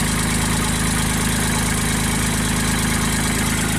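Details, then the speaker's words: JLG baby scissor lift engine after new starter and battery, crank position sensor in question: steady even idle of about three firing pulses per second, no misses or knocks; running healthy, warming up. "We'll let it run for a little bit, warm up."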